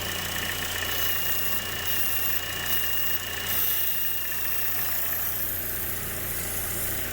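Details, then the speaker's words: GM 1.4L engine with code P0171 at idle: a thin, steady high whistle of air sucked past a failed PCV valve at the valve cover. Plugging it brings immediate short-term fuel trim corrections, confirming a vacuum leak. "plug that off and we're getting immediate corrections on our short term it's that whistling you're hearing there's a change when i pull the valve"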